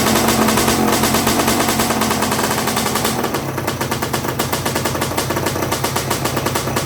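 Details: 1982 Suzuki RM125 two-stroke during restoration, after strong spark confirmed, a suspected carburetor issue and swapping the other part on: sharp crackling pops about three per second as it now fires and keeps running; sounds nice.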